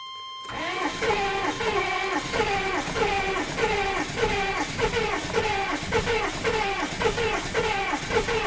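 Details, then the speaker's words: GM 6.5 turbo diesel after about four to six years of storage, low on coolant; long cranking with slow, heavy chugs about a hundred a minute, labouring and seemingly short on compression before it finally fires, a hard start. "uh-oh that does not sound good it doesn't sound like it has [Music] compression that's not good"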